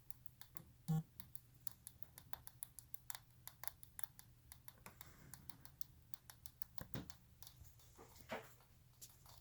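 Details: New ASUS ROG PG279Q G-Sync monitor on DisplayPort at 144 Hz, with speakers disabled and the PC off, making sharp irregular ticks about three a second over a faint hum, then hissing.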